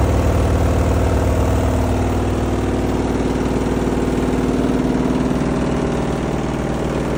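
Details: Front-load washing machine running: a steady low rumble with a regular thump about three times a second under the drum noise. Cause unknown. Abnormal running noise.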